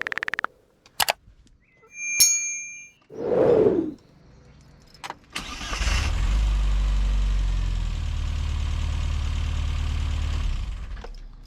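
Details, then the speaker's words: Classic Mini Cooper S Sport 5, stored about eight months in a garage; a few short clicks, then a brief crank catching into a steady even run; starter engages cleanly, sounding a bit different; normal cranking and start. "yeah it definitely sounds a bit different starting it up uh bright interesting"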